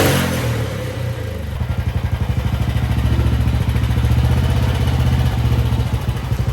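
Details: 1955 Velocette single that sat over 20 years, started through an open air box on choke (crank pulley leaking oil, no generator belt): a few uneven coughs, then it settles into a steady thump about two beats a second, running properly.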